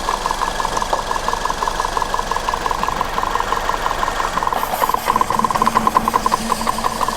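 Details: Maruti Suzuki Ertiga engine at idle: an uneven ticking clatter of roughly three beats a second rides over the hum; abnormal noise, cause suspected but not confirmed.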